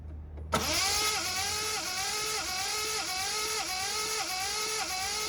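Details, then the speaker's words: Ford Capri Mk3 Ghia 3.0 manual barn find, unrun about 20 years, fresh oil and new coil pack fitted: starter spins steadily with regular compression rise and fall but engine never catches; cranks, no start. "Now with a little bit of help from my 10-year-old daughter who was on the ignition key, didn't want to start, wasn't even offering."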